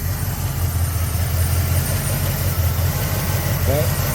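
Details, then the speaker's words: Restored 1990 Jeep Grand Wagoneer, rebuilt carbureted AMC 360 V8, just started; steady deep even rumble with no misses or knocks, runs really good. "But this thing runs really good."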